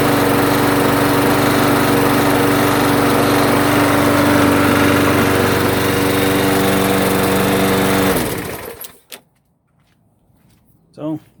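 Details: Mower after swapping in the correct carburetor (the wrong bowl nut had caused surging and hunting): an even, steady idle with no hunting, holding one speed for eight seconds before shutting off. It now runs normally.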